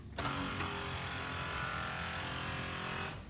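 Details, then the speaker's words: Vacuum pump under the headlamp of a 1990 Corvette ZR1, ignition on with engine off: electric pump buzzes about three seconds then shuts off, repeatedly cycling instead of holding charge, a telltale sign of a vacuum leak. "that's the sound of the pump and it's actually cycling on it off which is a pretty telltale sign that there's a leak somewhere"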